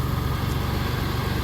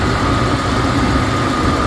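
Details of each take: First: Mitsubishi 3000GT VR4 that had idled very rough from too little fuel, now with a 3SX fuel pump hotwire kit fitted to give the pump a full 12 volts: deep, steady, even petrol idle with no stumbles; normal idle. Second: Mitsubishi 3000GT VR4 idling after a 3SX fuel pump hotwire install: steady rumble with a thin constant whistle from a vacuum leak; owner unsure whether the intake-to-valve-cover hose or a small vacuum line is leaking.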